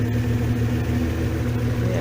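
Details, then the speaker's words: VW Caravelle T3/T25 Vanagon with Subaru H6 3.0 swap, owner chasing erratic idle and poor hot start (idle control valve cleaned, coolant warning on): engine splutters but catches itself, settling to a gentle, even idle near 800 rpm. "See, the revs are trying to get to a magic like 800 revs. Sounds like quite a nice gentle idle, not too crazy."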